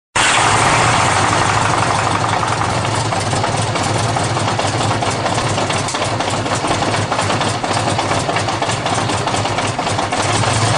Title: GL1100- Noisy cold start, no choke